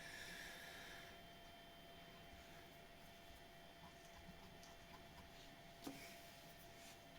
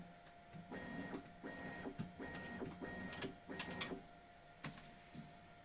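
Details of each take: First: Bambu Lab X1 Carbon 3D printer bed: faint steady motor hum with no squeak after lubricating the belt tensioner roller. The squeak came from the belt pressing against the roller's upper or lower edge as the bed moved; squeak nearly gone. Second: Bambu Lab X1 Carbon 3D printer, upside down: short bursts of bed travel, each with a faint high squeal over the motor whir. The belt tensioner roller squeak, caused by the belt rubbing the roller edges, is reduced after lubricating with wet soap.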